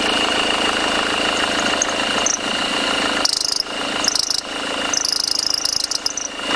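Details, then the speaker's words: Mercedes W211 diesel running: steady high squeal with shrill chirping bursts from the belt drive, likely from a defective alternator overrunning (freewheel) pulley. "so das Geräusch was ihr jetzt gerade gehört habt ist ganz vermutlich der Freilauf von der Lichtmaschine"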